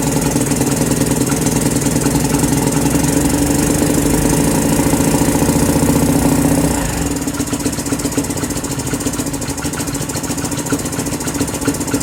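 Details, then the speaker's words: 2018 Lance Cali Classic 125cc scooter; ragged rev that sags and stumbles as the throttle closes instead of idling, and fuel is smelled running rich. The owner suspects plugged carburetor jets and plans a new carburetor. Poor idle, rich running. "I think got a winner except for the fact that not doing that not on idle I need a new carburetor [Music] I can smell the fuel is running pretty R"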